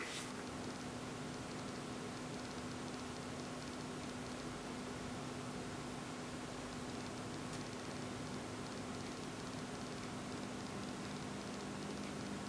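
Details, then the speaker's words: Defiant MSH 546 valve radio, restored and back in its cleaned cabinet, switched on; faint steady low hum under soft hiss with no program playing, cause not stated: mains hum. "And let's turn it on for one last time. Hear the old hum"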